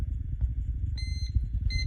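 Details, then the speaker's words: Klein Tools voltage tester switched on with a quick tap, beeper enabled: two short, clear high-pitched beeps about 0.7 s apart over low room rumble; holding the button instead turns it on silently. "so like i said quick tap for the sound but if you want no sound then just leave it leave it held no sound"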